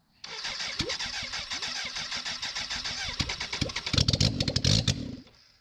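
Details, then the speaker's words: 1991 BMW K100 LT, 987 cc fuel-injected inline-four, sat outside about 10 years, after head cleaning and reassembly, no muffler or radiator fitted: about three seconds of cranking, then catches and runs briefly, harsh and very loud from open exhaust. "it works so [Music] now it runs"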